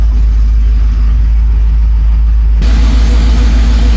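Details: 2004 Mercury Marauder with a new forged supercharged 03-04 SVT Cobra V8 at first start: deep, loud, even burble at about three pulses a second with no tapping or misses. Healthy idle with good oil pressure.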